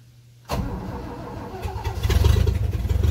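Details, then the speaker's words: 1978 Toyota FJ40 first start after long storage, battery installed, oil checked, cylinders oiled, gas poured in carb: short crank, then catches and runs rough and uneven with lumpy low pulses, barely firing; possibly flooded, cause unconfirmed. "Oh! It runs! Flooded. Huh? I don't know. It sounds good, actually."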